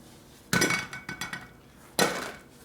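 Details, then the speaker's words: Harley panhead rear brake drum with sprocket, mock-up, gives dull metallic clanks and short rattle instead of ringing; sprocket loose on drum, maybe something broken or loose. "The sprocket's loose on the drum, you can hear it rattling on it. It's not ringing. Maybe something's broken or loose."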